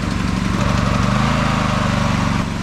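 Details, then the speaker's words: Freshly oiled, newly started open-frame generator, warming up and breaking in with no load. A steady, even low putter at constant speed with no misses, knocks or hunting, pretty quiet: normal no-load run. "you can see, with no load on it whatsoever, it's pretty quiet, especially for a generator that's kind of open case like that."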